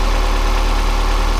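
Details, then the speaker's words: Boosted Miata just after crankshaft pulley repair (backed-out bolts replaced, new alignment pin), started cold to warm up before timing check: smooth steady low idle, even beat, no ticking or clacking; normal idle. "all right so seems to be running okay so I'm going to let it warm up and then I'm going to hook up the computer and double check my base timing"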